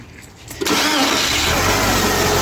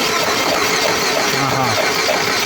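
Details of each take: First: Chery that stalled at 130 km/h and seized, after repair with a new timing belt, valves, water pump and oil: short crank, then a clean catch and a steady, even idle with no knocks or ticking; now fully fixed. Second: Chery engine that died suddenly at 130 km/h and won't restart: starter spins the crankshaft quickly and evenly with no firing, camshaft not turning; a timing-drive fault, possibly stripped teeth, valve-piston contact still unknown.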